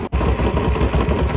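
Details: Royal Enfield Bullet 350 Standard after cylinder head repair, both worn valves and guides replaced for head noise: even, regular single-cylinder thump with no tapping or clatter; normal running.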